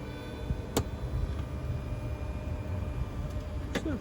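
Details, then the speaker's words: Tesla Model X rear captain seat after warranty service (motor replaced on one seat, the other greased): sharp, isolated clicks a few seconds apart while the seat motor moves the seat. The creak is fixed but the power seat still makes a clicking noise. "clicking noise coming now hear that anyways so it's under warranty so i guess it's fine"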